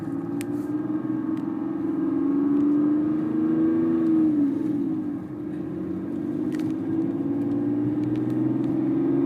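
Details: BMW 330d E46 diesel at idle: steady mid-pitched hum rides over the engine, wavering slightly in pitch; unidentified engine noise, source unclear.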